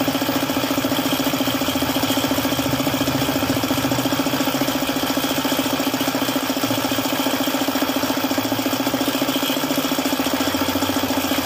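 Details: Suzuki F6A small petrol engine idling with a steady hard knock about three or four times a second; oil pump failed, causing oil starvation and engine knocking.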